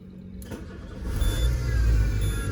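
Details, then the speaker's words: Peugeot Partner with engine and airbag lights on, at start-up: engine catches into low rumble with faint thin whine on top, noise from the belt tensioner, pointing to a worn tensioner bearing. "Ada suara di tensioner ya, bunyi."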